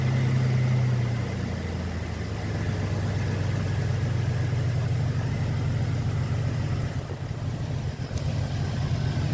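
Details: 2011 Ford Fusion 2.5L after reinstalling missing serpentine belt (had battery light, check engine, no power steering, rough running): low, even idle rumble holding steady with no squeal or slap; engine runs normally.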